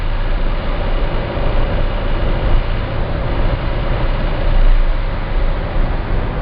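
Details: Citroen C4 Grand Picasso at about 1700 rpm under light load: a deep, steady 28 Hz drone, once per crankshaft revolution, that stops with slightly more or less throttle. The dealer calls it normal and the owner disagrees; cause unknown.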